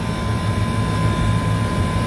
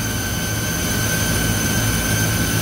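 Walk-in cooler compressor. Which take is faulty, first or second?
second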